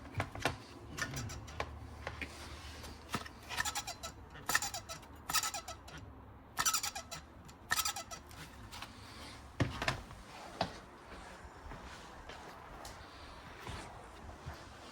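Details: KitchenAid gas stove: irregular warbling squeals and chirps over faint hum, suspected worn cooling fan, later replaced with new fan.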